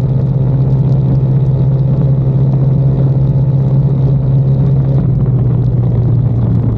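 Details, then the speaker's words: 2022 Icebear Maddog Gen V scooter cruising after the electric fuel pump conversion, carburetor stock. Steady, even engine drone with no sputter at wide-open throttle (about 12 AFR) and no stalling at stops. "after fixing our fuel issues um this thing is an absolute unit now uh it doesn't sputter a wide open throttle when you're cruising or when you come to like a really quick stop it's not stalling on me anymore"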